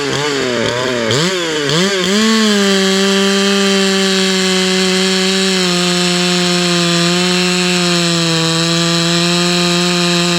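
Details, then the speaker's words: Hypo 660 build chainsaw with added third muffler port and stock chain, cutting a roughly 18-inch dry log with knots: winds up fast, then holds a steady high scream through the cut without bogging; healthy under load. "hmm she's spinning up pretty good you see all the uh knots that cut through us that second that up cut was a straight knot cut"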